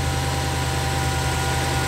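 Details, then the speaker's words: Subaru WRX warming up after sitting 4 months, some smoke seen at front: smooth steady low rumble, even idle, no ticks or knocks; no issues heard. "So far it doesn't sound like there's any issues. The car just warming up."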